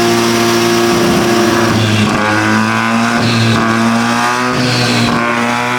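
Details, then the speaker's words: 13B turbo rotary in a replica Lamborghini Diablo, after fixing a missing engine earth and a loose injector power pin that stopped injectors firing: smooth, even buzzing drone with no misfire, normal running. "we fixed that the car as you can hear is now running it's so exciting to hear the motor running"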